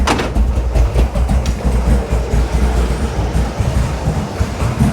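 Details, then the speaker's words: Big block 540 V8 with a newly installed, untuned Edelbrock 850 CFM VRS 4150 carburetor, cold; deep, lumpy, uneven idle with irregular low thumps, barely holding on near stall at about 500 rpm or less; idle speed likely set too low. "Let's see if it idles. No, it's really struggling, but it's doing it."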